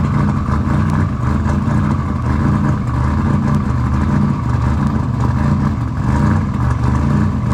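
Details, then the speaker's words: Engine after installing RJC V-band exhaust gaskets, exhaust leaks fixed: loud, deep, steady engine roar with no ticking or puffing at the pipes; exhaust sealed and running right. "all right guys as you can tell we got it running she's running can y'all hear it can you hear it is it loud you like that sound okay yeah we like that sound see we like that sound when things are working well and fixed"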